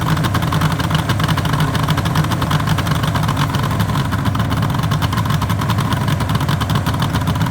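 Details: 1974 Suzuki GT750L two-stroke triple, first start after rebuild from parts, long stored, battery 12.66 V: steady, busy idle with even crackle and no knocking or stumbling; running fine.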